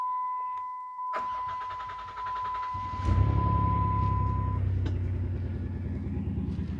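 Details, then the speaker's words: 2007 Dodge Caravan 3.3 V6 with P0202/P0302, cylinder 2 misfire: after a chime it cranks into a rough, slightly uneven idle; injector gets power but PCM isn't energizing it, PCM suspected faulty. "so we we are getting power here on the control side but PCM is just not energizing the the fuel injector"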